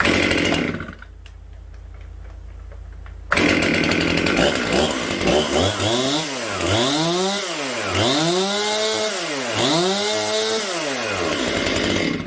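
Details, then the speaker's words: Rebuilt Stihl MS 261 C chainsaw with aftermarket piston kit and 325 chain, blipped from idle to high revs: rises and falls cleanly without bogging or hesitation, then settles; normal running after rebuild. "So she runs like a dream, guys."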